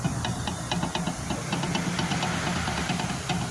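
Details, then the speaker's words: 2018 Jeep Compass 4x4 diesel, front right suspension: quick metallic knocks, about four a second, over a low idle hum. Cause given as play in the shock absorber rod, which is common on these cars. "é um barulho aqui lado direito vou dar uma dica aí para vocês o que pode ser viu a a folga na haste do amortecedor acontecem muito muito nesses carro"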